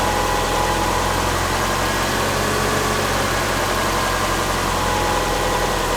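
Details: Subaru Forester with freshly reinstalled EJ25 flat-four, first fire-up after install, valves not adjusted, warming up and learning idle: steady, even smooth drone, no knocks or misses; normal idle.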